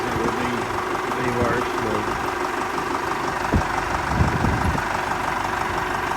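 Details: Ford 4040 industrial diesel tractor, cold start after rebuilt injectors installed, valves lashed cold: steady, even diesel clatter at idle with no misses or stumbles, little smoke; injectors firing cleanly.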